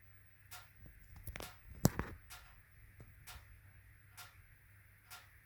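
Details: HWAM Wiking Mini 2 wood stove (replacement unit, automatic air control adjusted): sharp isolated ticks and heavier knocks roughly once a second in a quiet room during burn; owner suspects bi-metallic coil spring hitting a mechanical stop.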